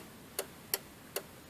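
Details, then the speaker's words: Kia Spectra (2000-2004) with hazards on: four crisp relay clicks about two a second in quiet cabin then stops; lights flash only a few times then quit, faulty flasher relay. "I can hear it clicking, but it's not doing anything. Yeah, I got a little bit of blinker action, and then it shuts off."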